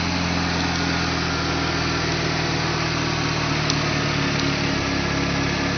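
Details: Freshly rebuilt engine with Apexi intake, Bonez cat, HKS downpipe and Dragger exhaust, idling after start-up: steady even idle with a smooth low hum, no knocks or ticks; engine sounds healthy.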